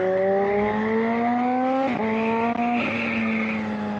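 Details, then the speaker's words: Kawasaki ZH2 (supercharged) on test ride after repairs, warm day: strong rising engine note climbing smoothly through the revs with brief dips at gear changes, pulling cleanly; rider says she feels awake and good, speedo working again. Normal hard acceleration. "Well, she feels awake. I'll give her that. She feels so good."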